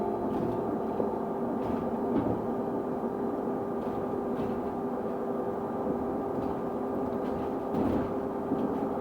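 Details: Stagecoach London North bus SLN 82060 on night route N199 near Bromley Road/Catford: a steady mid-pitched hum with a higher tone above it holds constant over soft cabin rumble. Constant-pitch tonal whine, source unknown.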